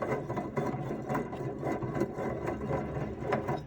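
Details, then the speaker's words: Saturn S-series hub bearing turned by hand with the knuckle off: a rough, crackling grind surging about twice a second, a badly worn wheel bearing; owner suspects the wheel offset caused it. "i thought i had some play when i could spin the wheel on here it it i could hear it crackling and stuff"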